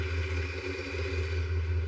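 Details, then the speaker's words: 1959 Willys Jeep FC-150 F-head four-cylinder, long-dormant barn find, just started after freeing and starter repairs: low, steady idle throb with no knocking or smoke; normal idle. "This sounds great. It's not knocking. It's not smoking."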